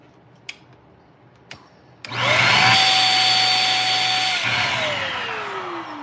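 Motor spins up to a steady high whine with a hollow, strained tone, then sags and winds down; airflow is blocked somewhere past the hose.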